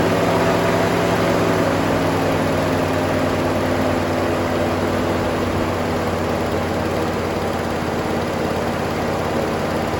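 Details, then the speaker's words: 1966 Pontiac Grand Prix, 389 V8 four-barrel, first start since 1992, fresh oil: rough idle with a quick, fairly even tick about three or four times a second and a little blow-by. Likely a noisy lifter; owner expects it to go away. "a runner pretty bad tick it's gonna go away I put fresh oil in it a little blow by it actually doesn't sound bad except for that tick"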